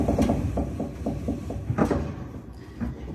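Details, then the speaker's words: Clothes dryer with a brand-new belt that is too small, making the idler pulley wheel hit and rub the motor shaft: uneven, plasticky rubbing and scraping in rough bursts; belt tensioner is fitted correctly. "So this has a plasticky sound, like blah, blah, blah, blah. So yes, the problem is the belt's too small."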